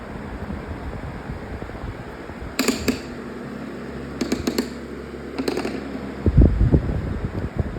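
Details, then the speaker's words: Lasko 20-inch Elite Collection Cyclone four-speed floor fan (about 2015–16) on speed three, a fairly loud, even hum with no wobble or thump; running smoothly. "Here's speed number three. Already kind of loud already. That's what you'd expect usually."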